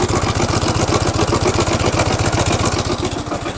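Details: Motorcycle with low pickup and smoke, running rough at idle: uneven, lumpy thumping about four times a second with a ragged beat, as cam timing sits a few teeth off.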